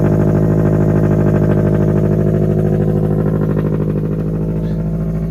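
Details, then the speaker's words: Supercharged automatic Scion FR-S with Vortech supercharger, after a dropped rocker arm and broken valve cover were repaired. Early-morning cold-start idle: loud but not as loud as expected, with a steady, even exhaust pulse at fast idle and no knocks or ticks. Runs cleanly. "Loud, but not as loud as I thought it was going to be. It's still pretty decent loud."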